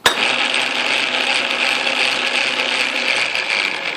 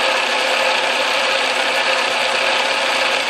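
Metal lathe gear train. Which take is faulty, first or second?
first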